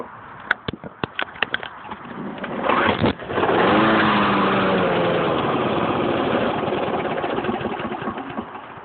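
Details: Lawnmower that won't start: a few sharp pull-cord ticks, then it fires and runs roughly for several seconds before fading away; cause unclear.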